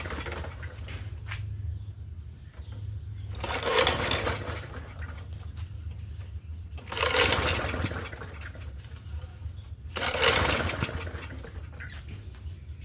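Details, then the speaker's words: Free Murray push mower with 4.5 hp Briggs & Stratton engine, rope pulls turning over without catching, sharp pop in the cranking: backfire while pull-starting. "Sounds like it's got a little bit of a backfire, but the rope is not pulling out of my hand yet."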